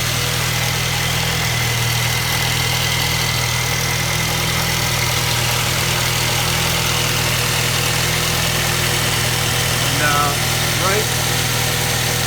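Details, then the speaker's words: 2012 Nissan Juke S at 97K miles, idling with a steady, busy metallic rattle over the hum from a stretched timing chain. The chain was apparently replaced improperly under an earlier recall and needs replacing again. "this is what a bad or a stretch timing chain sounds like perfect"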